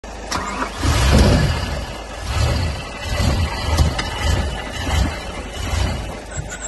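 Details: BMW M5 E60 after engine rebuild, smoking and misfiring: repeated cranking surges with brief sputters of firing that die each time, never catching to idle; cranks but won't start, cause unknown.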